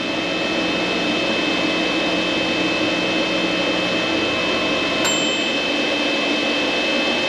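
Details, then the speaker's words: Vtoman Jump 1800 LiFePO4 power station supplying about 1560 W to a microwave and coffee maker at once: the cooling fan kicks on with a steady airy rush and high whistle, a click near five seconds, working hard under heavy load, normal. "1560. you hear the fan kick on"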